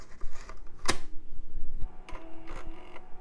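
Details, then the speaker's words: Floppy drive salvaged from a mid-2000s machine, tested on an AM2 board: sharp clack then bursts of quick ticking and faint hum as the head steps; normal seek, drive works. "okay we got a seek on that drive and floppy Drive works"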